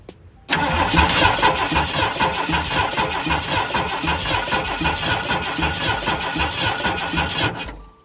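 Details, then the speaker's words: 1972 Ford F100 after new ignition parts, battery temporarily hooked up: steady starter cranking with even beats for seven seconds without a single catch; turning over fine but the spark test shows no spark. "Okay, we have no spark. So, that's a problem."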